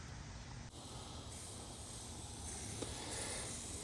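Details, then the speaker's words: Rain Bird sprinkler zone one valve after solenoid replacement (previous Orbit controller station 1 fault): soft, steady hiss of water spraying with no chatter or hammering; zone valve opens and flows normally. "there it goes and i can see zone one is now on and working as it should this is all zone one this front yard"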